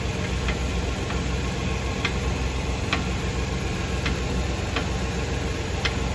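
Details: 2018 Fiat Uno Drive, driving on road: sharp, unevenly spaced ticks about once a second over steady road rumble; knocking noise from the suspension, cause unknown.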